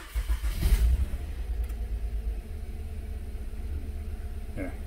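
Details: 2014 Honda Odyssey 3.5 V6, 83K miles, cold start, code P0303: cranks, catches and settles into low, slightly uneven idle; cylinder 3 misfire from oil-fouled plug, oil burning.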